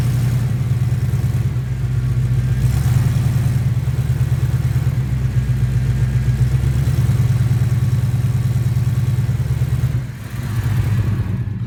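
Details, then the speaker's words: 1989 Chevy C1500 V8 idling in gear with parking brake on, cats deleted, Flowmaster 40s, headers recently reconnected: quick steady ticking puff like a valve tick over the rumble, an exhaust leak at the collectors, including the right collector. "kind of kind of sounds like a tick if you haven't like a valve tick if you haven't ever heard a exhaust Leake before"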